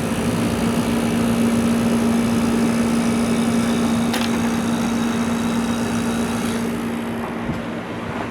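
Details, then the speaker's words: Early-1980s Emerson Quiet Kool 7400 BTU window air conditioner (7.5 A, 840 W rated) just powered up: pretty quiet, steady compressor hum with fan rush, no rattles, drawing about 648 W and starting to blow cold air; normal running. "there's the compressor pretty quiet"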